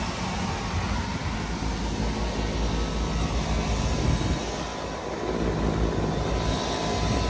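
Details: Three-phase HVAC blower motor after both damaged contactors were replaced, running in unit test mode. A steady, even low rumble with airflow hiss and no clicking, dropouts or speed hunting; the motor runs smoothly on all three phases.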